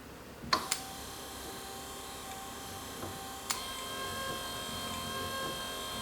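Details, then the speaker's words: Electric wiper motor from a direct bolt-in 6 or 12 volt kit for a 1947-53 Chevy/GMC truck, bench-tested on a small portable battery: click at switch-on, steady even whir, light click returning to park; no grinding, normal running. "And it has a park mode. So you turn it on, and whenever you turn it off, it goes back to park. Cool. Okay, so it works."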